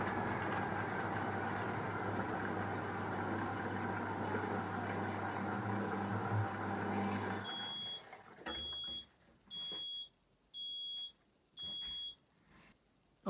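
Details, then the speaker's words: Fisher & Paykel Smart Drive washer: rumble stops, then four evenly spaced high beeps about a second apart as the wash finishes and the lid unlocks; normal end-of-cycle signal. "right there we go the wash is finished L is unlocked and the Machine is done"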